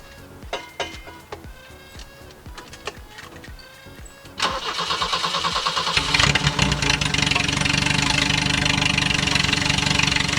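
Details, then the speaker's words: 1983 BMW 320i, cold start after sitting, muffler fallen off and exhaust cut to straight pipe; cranks then catches into a loud raspy idle with metallic rattling from the exhaust, unrevved. "if you can hear that that is the exhaust rattling and it is very very loud doesn't smell too good either right now because it's just a cold start up"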